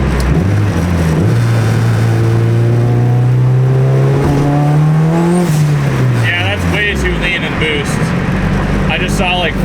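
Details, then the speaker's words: Turbo Honda Civic street car (600hp build) pulls under boost then lifts off with a sharp hissing rush as revs drop; blow-off valve with new heavier spring vents properly, sounding slightly higher-pitched; idle AFR about 13.5–14:1. "it also sounds a little bit more like high pitched which is kind of cool I didn't think that it was going to affect the sound of the blowoff valve I don't know if you guys are going to be able to hear it at all but I'll try to give you guys a little bit of blof valve sound"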